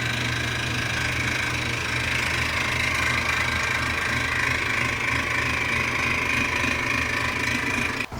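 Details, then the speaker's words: Performance washer drain water pump, removed and pulley turned by hand: a loud, steady, gritty whir with low hum from failed internal bearings; the replacement pump is silent. "that's the noise that you hear when there's a problem with the water pump and it's really noisy and there's a grinding inside"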